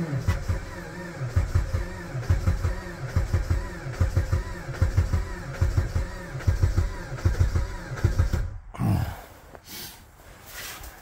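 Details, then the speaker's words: Jeep Patriot at about -36C/-40 with failed block heater: slow, labouring crank pulsing just over once a second, nearly catches then stops, no start; battery trickle-charged overnight, three of four plugs cleaned; starter smells hot. "so close so close o I can smell the starter and I don't like that starter is 300 bucks"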